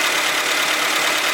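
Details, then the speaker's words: Honda Civic at idle after refilling empty power steering fluid: steady, even idle with smooth hiss and no pump whine or groan. "Power steering was making noise because it was empty. No more noise."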